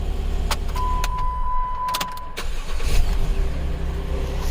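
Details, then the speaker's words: 2011 Jeep Wrangler 3.8L, former misfire and cam sensor codes, after replacement ECU fitted: low, even idle hum with no dips or misses, chime and clicks over it; rock steady RPM, running well. "Guys, it seems to be running pretty good. Look at that, rock steady RPM."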